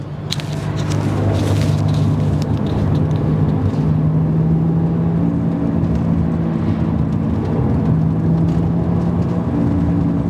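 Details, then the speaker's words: BMW 130i driving above about 30-35 mph: a steady, constant low droning hum under road noise that nearly disappears when turning right or through a right-hand bend, suspected to be a worn wheel bearing on one side. "So right then I went round a right hand bend, and yeah, the noise like went pretty much completely. So yeah, it's got to be something to do with either the left side or the right side."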